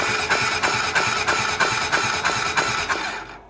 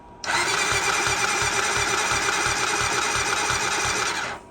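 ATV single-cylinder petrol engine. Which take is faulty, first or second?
second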